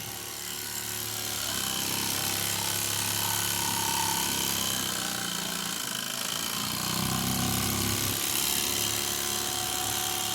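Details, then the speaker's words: Old Mamod toy steam roller, not run in decades, cleaned, oiled and new belts fitted, running on steam: quick even chuffing about four beats a second under steady hiss; runs very well, a bit fast. "Well, she certainly runs. She's a bit too fast for tabletop, but it runs. And it seems to run very well indeed."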